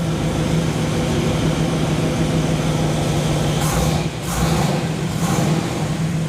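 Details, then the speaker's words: Plymouth Fury just after startup following engine work, oil pressure 45 psi at idle, timing guessed without a timing light, no full tailpipes or resonators so loud: deep, steady burbling idle, even and unbroken with a little hiss; normal idle. "It's sounding pretty beefy at the back, but I've got no, haven't got full tailpipes and resonators on it, so it's pretty loud at the moment."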